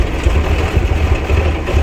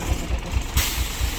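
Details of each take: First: 1990 Blue Bird bus with turbo Cummins diesel, fuel system just bled, battery charged: big diesel fires and drops into steady low idle chug about four beats a second; runs better, throttle still not working properly. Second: 1990 Bluebird bus, turbo Cummins diesel with VE pump, after bleeding and starting on ether: rough idle with a heavy regular low thump about four times a second; throttle gives zero change, owner suspects pump or lift problem.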